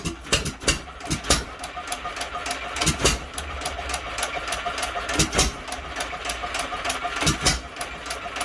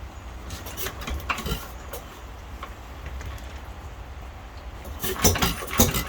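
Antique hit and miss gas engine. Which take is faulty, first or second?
first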